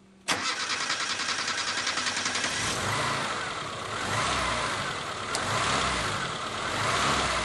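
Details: ZAZ Slavuta fuel-injected engine idling: catches, then idle never settles, rising and sagging every second or two; new idle control valve didn't help, cause found to be a dirty, sooted throttle body.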